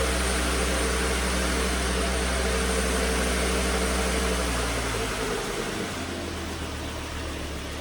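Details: 2009 Volvo S40 T5 AWD R-Design, flood-damaged Copart car, alternator idler pulley had failed, low battery on a charger: steady even engine hum easing slightly at the end, no knocks or misses; engine running smoothly.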